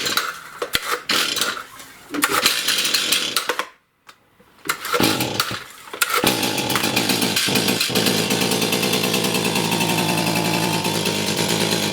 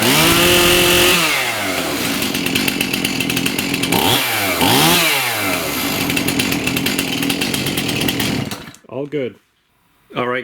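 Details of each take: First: Stihl MS291 chainsaw with no power that won't rev; the ragged, sputtering two-stroke fades and dies after brief blips, then drones unevenly without revving cleanly; cause is a carbon-clogged spark arrestor screen, fixed by burning off and wire-brushing the carbon. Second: Stihl MS291 chainsaw that had no power and wouldn't rev, after cleaning the screen and replacing suspected mis-mixed fuel with premixed canned fuel: revs up crisply, holds a clean high scream, returns to idle and blips again without bogging.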